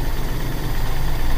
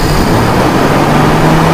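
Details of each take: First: Carbureted car engine, after carburetor cleaning trick for a mbrebet engine that would not idle or hesitated on throttle: short stretch of low even rumble, no misses; steady healthy idle. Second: Carburetted car engine (e.g. Toyota Kijang) with stumbling running, RPM raised and carburetor intake choked to create strong vacuum cleaning all carb passages: held high revs surge and sag roughly, stumbling rich from excess fuel.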